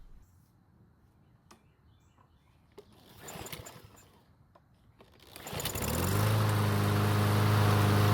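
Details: Troy-Bilt mower that wouldn't start after winter storage: catches and settles into a smooth, steady run with even beat and no misses; runs normally, though it started burning some oil after about 20 seconds, suspected from being tilted.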